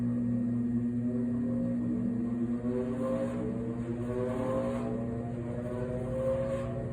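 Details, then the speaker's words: 2003 Ruud Achiever 90 Plus furnace blower on a cold day: low steady hum while pitch creeps slowly up to speed; failing blower, owner suspects the capacitor or the motor itself. "God that sounded horrible the blower I don't know if it's the blower capacitor or the motor itself but something is not working right and it's been making this uh humming noise I think it's the capacitor likely"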